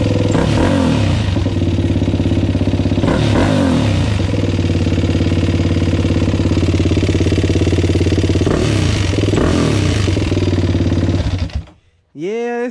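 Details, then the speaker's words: Suzuki LTZ400 restarted after valve clearance check and adjustment, timing believed right, oil not yet changed: loud mechanical clacking over idle following each rev; top-end clatter persists, source unknown. "it's still clacka clack in there but anyway that's that you guys"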